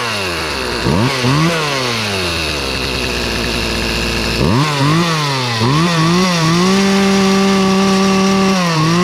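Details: Free Poulan 2450 chainsaw, 2.3 cu in, 18" bar, restarted; the owner suspected an earlier noise came from the recoil or bearings. It revs crisply, drops to a clean idle and winds up again to a steady high buzz with no rattles. Normal running.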